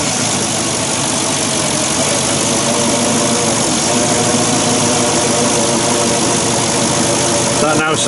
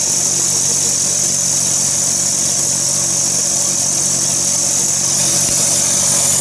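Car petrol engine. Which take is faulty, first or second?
second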